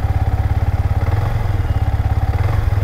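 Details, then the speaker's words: Yamaha MT-15 that has had throttle and pickup issues, started and left running before fuel injector cleaner is added; warm single-cylinder idle, a steady low thump around three and a half beats a second, even and settled with no stumble. "ఇప్పటి వరకు కొంచెం start చేసి పెట్టా బండిని అందుకని చెప్పేసి ఏం trouble వేయట్లేదు."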